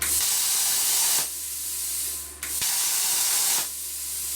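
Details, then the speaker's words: Viv Arc plasma cutter with air backed down to about 25–30 psi: bursts of hissing air with faint arc buzz as the pilot arc lights only at low pressure; 20 psi cuts only thin stuff, thicker steel needs more pressure; faulty unit, refunded. "Now you may say guys, well, why don't you just run it at 20 psi? Because it won't work, because you can only cut really thin stuff at 20 psi."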